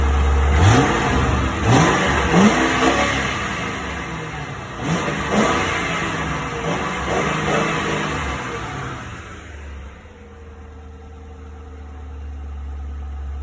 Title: Why does exhaust leak like that!